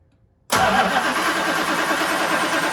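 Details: 1965 Plymouth Satellite just fitted with Edelbrock 800 cfm four-barrel carburettor, air cleaner off, no choke: catches at once, loud hissy slightly uneven idle; open vacuum port on the carb letting air in.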